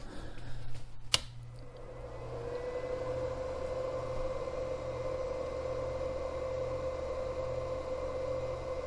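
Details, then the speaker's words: Cooling fan of an 800 W power inverter after a fix to cure noise: after a click the small fan spins up to a steady soft hum with no rattle or scrape, turns off after a few seconds; quiet, fix successful. "I'd say that's a success that was nice and quiet fan turns off after just a few seconds the fan would kick on again if it was getting hot and it needed to"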